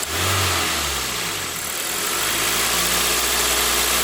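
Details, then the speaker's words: 2004 Toyota Matrix XR, manual 5-speed, 111,000 miles, P0505 code, high idle about 1800 rpm, no audible vacuum leaks: wavering idle that dips and recovers, hesitating and swinging in neutral; stuck idle air control valve. "There's no audible vacuum leaks, but on the test drive listen that hesitation at idling."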